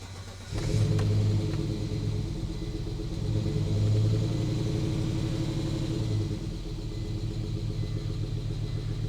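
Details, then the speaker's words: Volvo 850 T5 turbo, first start in 20 years after new fuel pump and timing belt: stalled shortly after starting, owner suspects very low fuel; restart catches after short crank, surges, then settles to a low, slightly uneven idle. "she sounded so good when she was alive and now she's dead what's wrong what happened"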